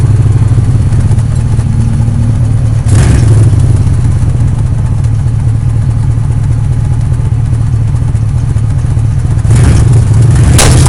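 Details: 1998–2011 Crown Victoria Police Interceptor P71: low rumbling engine and drivetrain noise broken by sharp pops from the rear end; car hard to move, metal shavings near the right rear wheel; axle shaft broken and shaved inside the housing, so the rear end was replaced.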